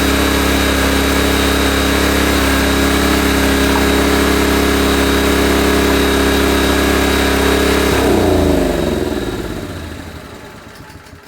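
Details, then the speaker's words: Honda EB1400X generator, carb believed never removed, restarted on choke and warming up: single-cylinder runs smooth and even at steady pitch for eight seconds, then winds down cleanly at shutdown; engine runs good. "Engine runs good. Warm it up just a little bit."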